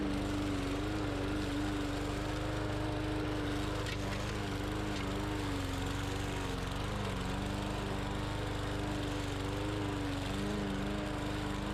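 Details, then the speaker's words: Bolens push mower, Briggs & Stratton 125cc OHV engine, running after no-start repair, cutting soaking-wet heavy grass: steady even drone holding speed, no misses or surging; some tapping heard, valve clearance unchecked; normal running under load. "had a downfall last night the grass is soaking wet and this machine went right through it"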